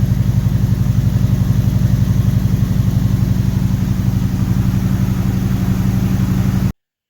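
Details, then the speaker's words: 1976 Corvette Stingray V8, first start after sitting for years, with new fuel and cooling lines, some bad fuel left in the tank and a bad water pump bearing: smooth, steady rumble with even pulses; normal idle until it warmed up. "I was really happy on how it started up. It just fired right up, and I could smell there's a little bit of bad fuel left in the bottom of the tank, but it wasn't too bad."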